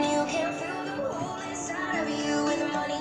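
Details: Nakiva tape/radio/MP3 unit after service, in radio mode, which previously crackled. Music plays steadily with no crackle, scratching or dropouts while the volume holds; the volume control and output sound normal.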